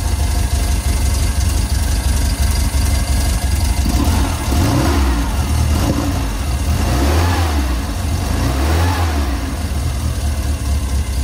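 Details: Steyr Puch Pinzgauer 710M, long stored, after rebuilding the fuel pump and restoring fuel flow: the engine catches, takes a couple of throttle blips, then settles to a steady low idle.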